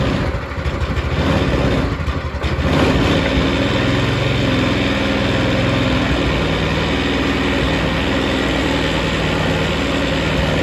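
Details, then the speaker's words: Old Yerf Dog go-kart single-cylinder engine, first start with choke on after carburetor cleaning, fresh gas and cleaned tank and filter: chugs unevenly at a fast idle, stumbling and wandering; running rough, cause not sorted. "All right, it's running. It's not pretty, but it's running."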